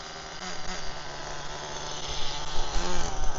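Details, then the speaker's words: HPI Firestorm nitro RC truck, warmed up, after fitting a missing spacer that caused stalling: high thin buzz at quarter throttle, smooth with no sputter; normal part-throttle running, still needs tuning and may bog on return. "yeah it bed down a bit then now it's warmed up so that's just quarter throttle nice"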